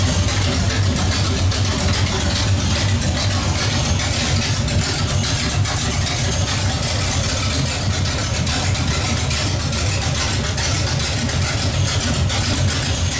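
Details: Pontiac 455 V8 just installed, idling with no exhaust fitted. Loud open-pipe sound with a deep, steady lope, even firing and no knocks or misses. Smells rich; normal idle, exhaust still to be added.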